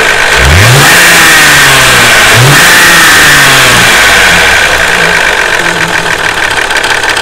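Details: Toyota 2JZ-GE VVT-i, hot after five miles of hard driving, noise worse when warm: blips, then a fast, even metallic tapping; the VVT-i cam gear was first suspected, but it needed a valve adjustment; excessive valve clearance.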